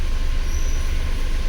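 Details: Mahindra Bolero Power Plus BS6 diesel, DEF no-start warning. Started about 30 seconds ago, temperature below the 75° needed for regeneration, soot mass 18 g. Even, low idle rumble with a faint whistle, no knocks or misses. A normal cold idle.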